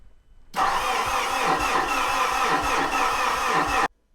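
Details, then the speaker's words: Mitsubishi Fuso diesel truck with ongoing no-start and rail pressure reading out of range, battery on charge for a week: sluggish, laboured cranking for about three seconds, slower than ever before, never catching; owner wonders if the starter is dying. Slow cranking, no start. "That doesn't sound right at all. It's never cranked that slowly before, and it's been sitting on charge for a week. Is my starter dying now?"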